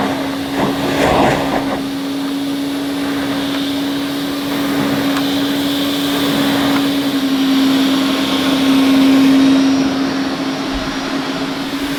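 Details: 1980 Hoover Constellation 867A floating vacuum, suppressor removed, being restored: constant mid-pitched motor hum, perfectly steady, with no rattle, scrape or surging; the motor sounds fine and probably needs no teardown; normal running.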